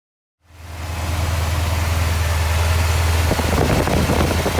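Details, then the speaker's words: Porsche 928 V8 at idle: deep lumpy uneven pulse about three beats a second, owner suspects running on seven cylinders; compression test shows cylinder 1 reading lower than others; misfire suspected, not confirmed. "And then I need to try and work out which one isn't working because I am pretty sure the old girl's running on 7 cylinders."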